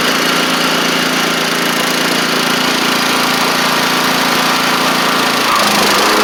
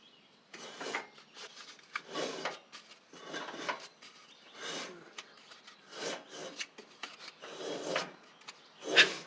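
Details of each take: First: Troy-Bilt TB42 rider, Powermore 541cc single-cylinder engine running after old gas drained: steady, even beat at constant speed, no misses or knocks; good compression, though it may need a carb clean. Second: Troy-Bilt TB42 rider, Powermore 541cc engine turned slowly by hand, not running: a breathy hiss puffs out on each compression stroke about once a second, indicating a head gasket leak; oil dark and low.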